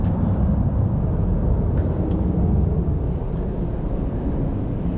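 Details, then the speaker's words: 1991 Mercedes-Benz 420SEL V8 with deep, steady rumble and rough throaty edge from a small exhaust leak through the resonators. "And that's where our little exhaust leak's coming from, right there. In the driving video, you'll see or hear the car. It sounds like it's got an exhaust on it, but it doesn't."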